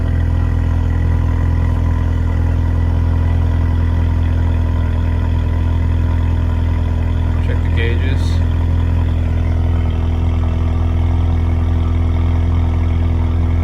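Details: Turbo engine idling after broken spark plug removal, warming up: steady even low hum with no stumble or skipped beats, turbo whistle noted; smooth healthy idle.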